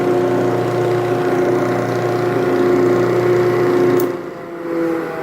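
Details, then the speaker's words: Early cast-iron Dunlop-made Craftsman 12-inch disc sander from a garage sale, bronze bushings still needing oil, damaged cord, first start with no sandpaper fitted: steady clean mid-pitch hum, no rumble or grinding, even spin-down. Bearings seem okay; normal motor run. "bearings appear to be okay i'm going to clean it up before i put any sandpaper on it"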